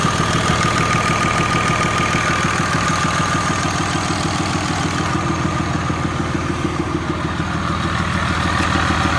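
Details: 6.7 Cummins after new head gasket and ARP 425 studs, exhaust manifold gaskets reused, lash set .010 intake and .020-.022 exhaust: crisp, even tick about three per second at idle; owner suspects valve lash or exhaust leak, unconfirmed.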